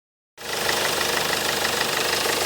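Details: Peugeot Partner B9 HDi diesel: a hard, regular ticking knock rides over the diesel clatter and follows engine speed. Abnormal engine knock, cause unknown.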